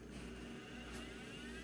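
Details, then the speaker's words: Old IDE hard drive that beeped last time, jumper removed: quiet, steady whir spinning up with no beeping; it appears to start normally. "It usually beeps at me really fast. Okay, no beeping!"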